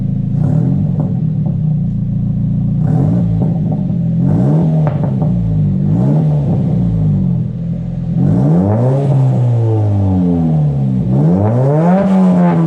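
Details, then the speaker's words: Nissan S15 Silvia SR20DET turbo with a new JJR stainless dump pipe and de-cat, light revs recorded from outside the car; deep, smooth note with the farty drone gone and tone transformed, no rasp or rattle; normal exhaust note when revving. "all right so as you guys just heard from that clip i didn't want to rev it too loud i didn't want to annoy anyone but yeah it sounds really really good and the tone is just the tone is just completely transformed"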